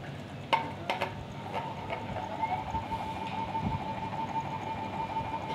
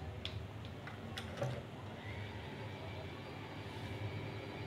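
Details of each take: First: Ceiling fan running on a series connection with a steady, slightly warbling whine and faint rattle; it gets much louder when run directly. Cause: worn bearing seat. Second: Ceiling fan after bearing replacement: steady low motor hum with no repeating tick or knock, the earlier tuk-tak knocking gone; fan runs smoothly and quietly, normal running.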